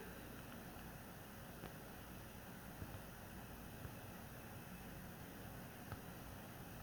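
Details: PS4 Pro consoles under heavy game load in boost mode, overclocked; first-gen 7015B (copper shim and new pads on south bridge and HDMI-area chip) nearly as quiet as third-gen 7215B (only dust-cleaned); faint steady airy hiss, thin high tone, no surging: normal fan noise.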